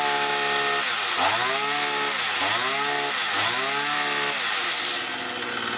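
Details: Petrol brush cutter that used to start, then cut out; a bent crankshaft was found. After the repair the two-stroke climbs and falls cleanly through three blips, then drops to a steady idle without stalling: normal running.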